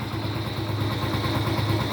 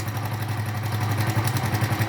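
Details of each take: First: Honda Pop 100 after repair, engine overhaul: smooth, quiet, even idle with no knock or rattle, far quieter than the noisy engine before. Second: Honda Pop 100 burning about 1 L of oil a month, with oil fouling the spark plug, at idle. A fast, light rattle from the top end rides over the beat: cam chain rattle from a slack chain, to be fixed.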